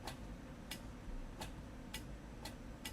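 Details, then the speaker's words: QRM Eliminator phase-reversal noise box triggered by a foot-switch cable: six crisp internal relay clicks about half a second apart in three seconds, the normal sound of switching to transmit. "hearing the little relay inside of here clicking okay but it does seemingly uh"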